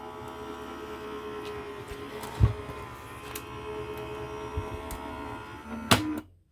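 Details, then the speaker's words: Sizzix Big Shot Switch die-cutting machine using a Bigz Plus die with the top cutting plate: steady motor hum with light knocks, then a loud clunk as the plates jam at the end of travel and the motor stops. "And I have to push it in from the back. It won't even take it. And then you'll hear it clunk."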